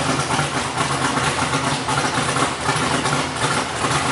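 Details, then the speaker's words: BMW E46 Formula Drift Pro 2 car with CBM Motorsports engine, first fire, idle being adjusted: uneven, lumpy, loping idle like a boat; starved of base idle air, so a hole will be drilled in the throttle body. "Trying to adjust the idle. Pretty choppy, huh? Sounds like a boat."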